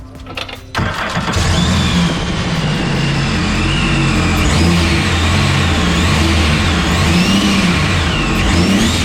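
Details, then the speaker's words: Overhauled Sea-Doo RXT 260 with rebuilt supercharger and jet pump, blow-off valve, intercooler, intake, rear exhaust, new motor mounts, carbon seal and bellow boot: strong engine note with rising and falling revs and supercharger whine. Healthy; normal revving. "we added the tile blow-off valve setup with the fizzle intercooler air intake and the rear exhaust on this thing"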